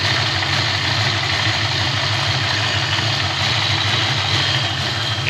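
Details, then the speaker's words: 1988 Ford Mustang LX 306 stroker with a BBK aftermarket throttle body, idling about 10 minutes, pretty warm but not fully warmed up. With the idle air control valve unplugged the idle stays steady with no dip; the owner suspects the valve is no good. "no difference at all so that idle air control valve is probably no good"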